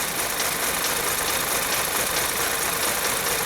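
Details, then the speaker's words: 2012 VW CC 2.0 TSI CCT engine, runs terribly, codes P0341 cam sensor implausible and random misfire, check engine light on; uneven hiccuping idle over busy ticking top end, constant misfire. "the engine is stumbling like it's misfiring constantly right now oh and there goes the check engine light so it is misfiring"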